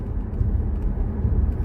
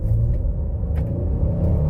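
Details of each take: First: 2017 Ford Explorer with codes P0300, P0302 and P0306, misfiring under heavy throttle or hills, earlier fixed by plugs and coils then returned; engine drone surges and sags unevenly, stumbling cut-out, mechanic suspects fuel starvation: misfire under load. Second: 2017 Ford Explorer after software reprogramming fix for misfire codes P0300, P0302, P0306 (previously misfired, weak power under load despite new plugs); hard-throttle acceleration, note climbs smoothly with no stumble or cut-out. Normal acceleration.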